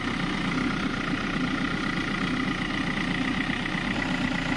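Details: Hyundai Creta with battery-drain complaint after fan belt reset with original belt; steady even idle, no belt squeal, chirp or knock, charging measured about 14 volts at battery; normal idle.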